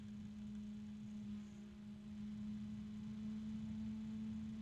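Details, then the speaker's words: New three-fan cooling unit, small fan turned up to high speed: a steady hum with an uneven low rumble as it shakes; owner assumes the bearing is starting to hum. "I don't know if you guys can hear it but there's a weird noise I'm assuming it's the bearing not starting to hum kind of a deep hum it's getting kind of noisy now it's kind of shaking"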